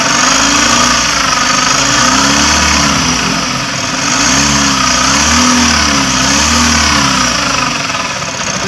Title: MITSUBISHI L300 EURO 4, Alternator bearing problem